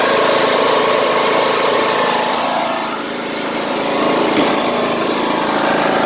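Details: Craftsman T150 riding mower, warm engine at low rpm after an oil change: small single-cylinder ticks over steadily and evenly with no knocks or misses; healthy idle.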